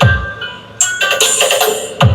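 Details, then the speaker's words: Sakura AB735 integrated amplifier playing music from a phone into a speaker: a mix of clean sound and harsh crackly break-up on sharp hits, so one channel, right or left, is distorting. "Kung maririnig niyo halo yung tunog na maganda and then alam mo merong tunog na basag. Ha? 'Di ba? Okay. Meron siyang basag."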